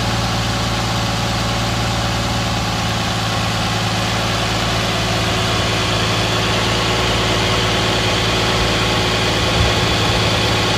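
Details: 2010 Nissan Maxima cold start idle, no knocking: steady, even low throb; car otherwise develops a loud puttering from underneath after ~15 minutes warm driving, noticed after an oil change; owner wonders about TSB NTB12-071 #1 main bearing knock.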